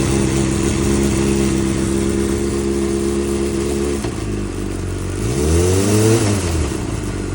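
Steady high rev holds, then a dull clack comes as the throttle snaps shut and revs fall; knock on deceleration, cause unknown.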